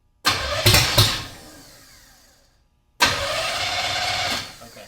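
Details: Hot-rod 327 Chevy V8 just installed in a 1957 Chevy in place of an LS, on its first start in 15 years. The starter cranks and the engine catches with a few ragged bursts, dies, then fires again and runs roughly for over a second.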